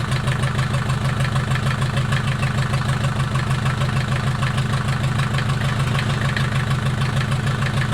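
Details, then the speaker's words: Mercedes 240D OM616 diesel, reassembled after sitting about a year and a half, 124k miles, restarted after glow-plug cold start: deep even clatter at steady idle, no knocks or misses, slight smoke from nasty old fuel; normal diesel idle. "well i would say it's a success started right back up it actually sounds good smoking a little bit"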